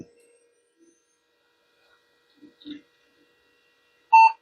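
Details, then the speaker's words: Power-up of a vintage e-waste PC during testing with a 3dfx 3D card fitted, video passed through from the 2D card: one short clean beep then quiet, a normal single POST beep. "let's Power It Up do we have one single beep"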